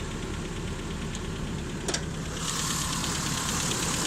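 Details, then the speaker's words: 1988 Toyota 4x4 pickup with the 22RE four-cylinder and 166,000 miles, largely original: a steady, even idle with a soft regular pulse and no knocks or misses. It runs fine. "I don't know if it's a numbers matching, but it does run."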